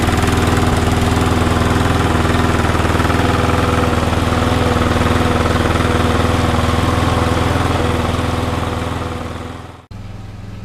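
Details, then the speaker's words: Cheap, never-used lawn mower running smoothly on a 15-minute test after new secondhand carburetor springs and missing parts were refitted; it smoked and blew water out of the exhaust at first; a steady, even single-cylinder drone with no misses or knocks. "as you can hear in the background that little lawnmower is now on its test I'm gonna run it for about 15 minutes solid"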